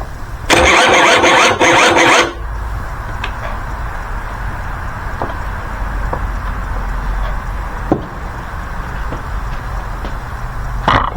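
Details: 1984 Honda Spree two-stroke scooter stored about 30 years, fuel tank treated, ether sprayed in and cylinder lubed, battery charge uncertain: a couple seconds of buzzing starter crank without the engine catching or popping. Cranks but no start.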